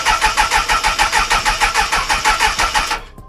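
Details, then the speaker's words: 1996 Suzuki Bandit GSF600S after sitting a week, before carb rework, given a little throttle: steady starter cranking about three beats a second for three seconds, never firing; cranks but won't start. "Well, as you can see there, it didn't want to start,"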